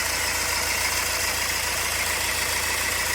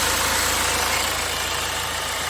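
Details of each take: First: 2009 BMW 320d diesel idling with a slightly uneven, lumpy misfire, engine light on, down on power after being parked nine or ten months; code 443C cylinder 3 injector activation; a pulley or idler may also sound rough. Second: 2009 BMW 320d diesel with a cylinder 3 injector activation misfire code (443C), fault suspected in the injector plug or wiring: a smooth, even idle, engine light out and the gear selector shaking less.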